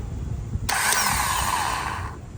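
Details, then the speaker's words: Old starter from a 1998–2010 Honda Accord with intermittent no-start, bench-tested with a battery jumper: a harsh, gritty grinding whir for about a second and a half as it throws the gear and spins; the new starter runs smooth. "for this one I can hear there's a lot of grinding noise uh when the uh um the starter push the gear out and turn I can hear a lot of grinding"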